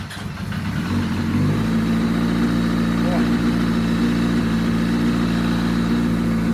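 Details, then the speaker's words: 2005 Yamaha R6 project bike run with a makeshift fuel hookup (return line plugged): it catches and settles into a lumpy, uneven idle with an unsteady low beat; it runs rough for an unclear reason, though it sounded fine on a later run. "I don't know how I feel about that sound well not every good deal is a good deal"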